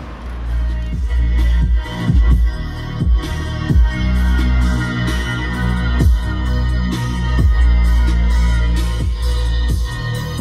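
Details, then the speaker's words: Range Rover Evoque door speaker after replacing the vibrating, distorting original with a mid-bass speaker on the original plug: music plays with heavy, clean bass and no rattle, buzz or distortion. "não sei se dá para ouvir aí se vocês puderem usar um fone de ouvido mas só de já não ter a distorção né aquele PR PR já melhorou bastante"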